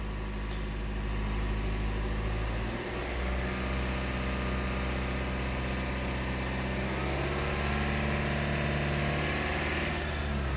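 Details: 2018 Toyota Camry 2.5L, revved to 2,000 rpm in open loop while checking MAF data for code P0102: steady, even hum with no stumble, surge or misfire; running clean.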